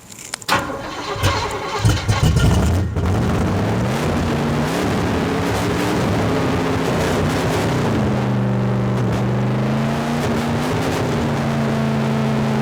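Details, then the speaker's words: 1972 Chevrolet Chevelle V8 started after sitting five years: cranks, catches and races to a high rev that keeps climbing instead of returning to idle; throttle stuck open, fuel pump issue also pending. "good all right well the throttle stuck as you can probably tell anyway it runs as you guys could probably tell at home the throttle stuck which is not good"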